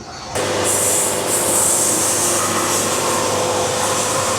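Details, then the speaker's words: Bandsaw sawmill, feed raised to a moderate, typical rate with joystick bottomed out at set speed: steady hiss with constant tone, no warble; normal cutting, band harmonics and ripple gone. "That's a little faster. That's probably what most people are going to saw at. You can almost hear the tone."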